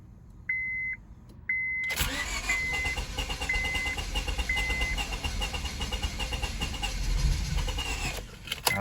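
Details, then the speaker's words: 2002 Honda Civic that only clicked and sat for months, owner cycling the fuel pump suspecting lost fuel pressure and fearing rat damage to fuel lines: a couple of chimes, then about six seconds of steady cranking without catching; crank, no start. "come on come on get going almost almost i hope it's not that rat what it did but it sounds like it's wanting to go"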